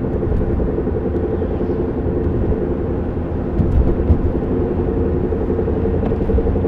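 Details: Droning noise while driving a 1993 Honda Civic EX coupe: a steady low rumbling drone under road noise, described as a knock, scrape and scouring mixed together; owner suspects a bad wheel bearing, unconfirmed.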